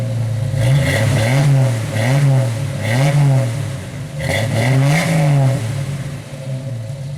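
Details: 1991 Jeep Wrangler YJ idling after a cat-back exhaust replacement (new muffler, tailpipe and clamps replaced a holed system). Blipped several times, a deep even exhaust note rises and falls cleanly with no rattles or leak hiss; healthy, no more exhaust fumes.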